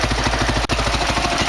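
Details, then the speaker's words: 2003 Honda CRF450 single, first start after an engine rebuild for a seized con-rod bearing: started without choke, choke then pulled, WD-40 smoking off; a rapid, even thump of about twelve beats a second with one brief dip holds a steady idle. "On a bien vu qu'elle a démarré, j'ai tiré le starter après en pensant qu'elle allait caler, et finalement elle tient très bien."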